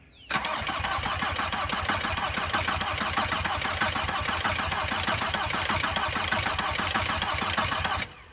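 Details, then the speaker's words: VW Passat B4 diesel, whole engine rebuilt, cranking to bleed air from injector lines with fuel oozing out: starter turns slowly and unevenly for about eight seconds without firing; battery a little weak. "fuel coming out starting to ooze out of the first one on the driver's side on the top battery's a little [Applause] weak"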